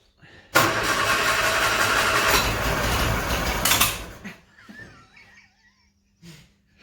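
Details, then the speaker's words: Bedford CA campervan (Rambo), cold, fuel-soaked engine being started to warm through: fires, runs ragged about three seconds, then dies. Owner believes the carburettor is worn out, mixture screw fully out, possibly over-fuelling; plugs also suspected. "that carburetor is knacked i'm pretty sure of it now let me because the mixture screw is literally all the way out might be over fueling somewhat now"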